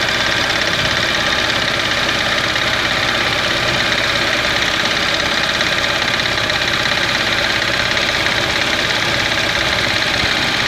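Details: Engine noise of unknown source and location at idle; engine doesn't misfire, starts and idles well. A sharp, busy ticking rattle about two per second rides over a steady idle.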